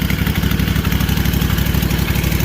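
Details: Freshly rebuilt Kawasaki FR730V V-twin in a Cub Cadet SX60, first run on choke at low throttle, idles with an even, deep thumping beat, no knocks or misses, no fuel or oil leaks; normal idle.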